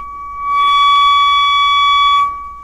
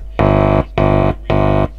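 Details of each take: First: Kriesler 11-7 valve radio under restoration, scope on the grid while tracing an intermittent very-low-volume fault: a steady high test tone suddenly swells loud, holds about two seconds and drops away. Intermittent weak audio, cause not found. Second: Kriesler 11-7 radio giving very low volume on a strong station at full volume: touching the pickup input gives three half-second bursts of loud, buzzy mains hum. The amplifier stage works normally; the fault is suspected in the RF stage.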